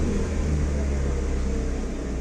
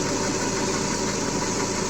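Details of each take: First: Chevrolet (Aveo/Optra/Corsa type) with a warm engine stuck at a high idle of about 1300–1400 rpm, a steady raised hum that never drops. The TPS reading won't return to 0%, and the cause is traced to ECU ground voltage spikes. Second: Chevrolet (Aveo/Optra/Corsa type) with a high-idle complaint (about 1300 rpm earlier) now holding steady at roughly 822 rpm with TPS signal at 0%: low, even idle hum, no surging or hunting. Voltage spikes could come from coil wires or poor grounds.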